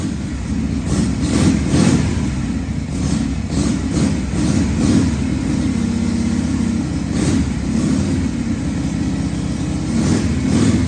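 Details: 1978 Harley-Davidson Shovelhead FXS Lowrider after cleaning the carburetor's accelerator pump and fine-tuning the carb, test ride in 1st–2nd gear: loose, lumpy V-twin beat pulling cleanly on throttle and settling back, no misses or stumbles; running pretty good.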